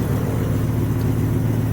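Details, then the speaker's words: 1994 Dodge Ram 3500 dually with 8.0-liter (488 cubic inch) V10, just driven home: steady deep idle with a raspy, puffing edge; exhaust leak, cause not yet known. "there's an exhaust leak over here I'm not sure what's causing it yet like I said I just drove it home last night"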